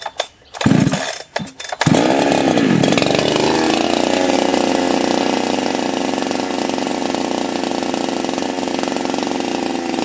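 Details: Husqvarna chainsaw fitted with a pop-up piston; after a couple of pulls it fires, revs and drops to an even steady idle, running right.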